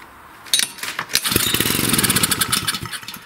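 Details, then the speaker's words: Wood splitter Honda engine sat 5 to 10 years, cranked on choke with air filter off: catches for a few ragged beats then dies, also with carb cleaner sprayed; starts-and-dies, likely a gummed carburetor, to be replaced. "So basically that's all the machine does is it starts and dies right away. Typically, it's a carburetor issue."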